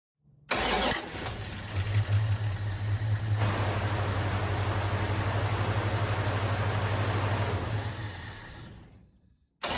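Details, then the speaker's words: 1974 Plymouth Duster 318 V8 with manual transmission, revived after years sitting, temporary fuel line repairs: cranks briefly, catches and settles into a steady idle for about eight seconds before shutoff; runs fine, no leaks seen. "doesn't actually seem to run too bad not seeing any leaks all right let's fire it up again"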